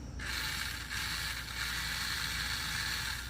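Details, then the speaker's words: Huina 1583 RC front-end loader, front drive motor running unloaded: steady high-pitched whir with light gear chatter; the press-fit pinion gear is spinning freely on the motor shaft, so the front drive does not work. "so there's our problem our pinion gear was just free spinning in there which that goes on by compression"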